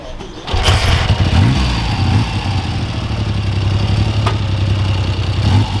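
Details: Freshly restored 1975 Triumph T160 Trident three-cylinder, straight off the workshop bench: catches at once and settles into a steady, even triple beat with no knocks or misses. It sounds healthy.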